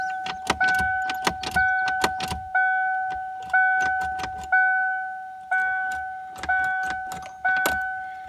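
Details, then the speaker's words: 1994 Ford Ranger revived after long sitting, on marine battery, key on in neutral: two-tone warning chime repeating about once a second with clicks; volt gauge briefly moved, poor connection suspected. "We got dinging. I saw the volt gauge move for a second."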